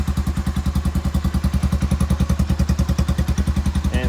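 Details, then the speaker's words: Honda Foreman 350 4x4 ATV single-cylinder, rusty muffler welded with a quiet core added: thump at about three and a half pulses per second with a hollow, tinny drone; owner suspects the big chamber flexing. Exhaust resonance. "it goes from one side of the other to keep this big chamber from flexing because there was some resonance in here and it sounded a little bit tinny i'm pretty sure it's from this chamber right"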